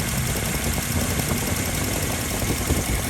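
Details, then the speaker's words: 2001 Toyota Kijang Krista 2.0 EFI petrol with manual transmission and 109,000 km: a low, even idle rumble with no knocks, ticks or misses and a steady pitch. Normal, very smooth idle. "sudah injeksi injeksi model lama ya tidak helm sama sekali suaranya halus banget"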